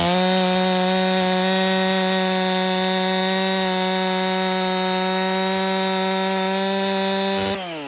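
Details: Holtzfforma 372 clone chainsaw with an impulse-line modification, after a pressure test turned up problems: a steady high-revving two-stroke whine holds even pitch through the cut with no stumble or surging, then drops off on throttle release. It runs normally.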